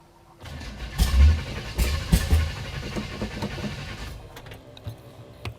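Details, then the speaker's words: 1955 Chevrolet Bel Air after sitting for years: cranks, fires a few ragged uneven beats, then dies within seconds; starts but won't keep running, owner suspects the carburetor and plans to replace it. "We have made it start. The running thing is a bit of a problem, though."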